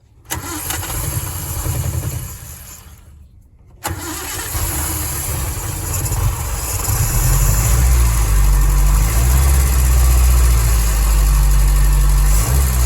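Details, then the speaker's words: 1961 Triumph TR3A after thermostat housing gasket reseal, started from the solenoid starter switch in neutral: brief crank, catches and settles to a steady, even idle around 700 rpm with no misses or ticking; normal start and idle. "all right so the idle's down better now it's uh about 700 so that's a lot closer to"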